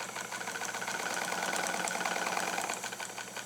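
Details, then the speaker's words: Restored Necchi Supernova BF low-shank oscillating-hook sewing machine, sped up: a quick, even clatter of needle and shuttle, about four beats a second, with no binding or knocking; smooth and fairly quiet for an oscillating machine, healthy. "and smooth and pretty quiet, particularly for oscillating machines. Oscillating shuttle machines tend to make slightly more observable sound than, say, a rotary would, but all machines have some sound."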